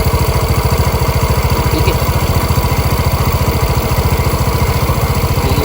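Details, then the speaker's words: Warm TVS Jupiter scooter single-cylinder engine idling evenly with a steady low thump and no tappet ticking from the valves; normal idle with no tappet noise. "आप नॉज सुनो य बिल्कुल टपट की नज नहीं आ रही"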